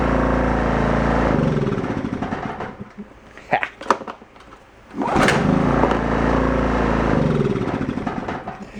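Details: Old free Kawasaki 550 generator being revived, fired up after its switch was reassembled with the bolt back in to check it still runs. It sags briefly and nearly drops out, then picks back up and carries on at an even speed; normal running.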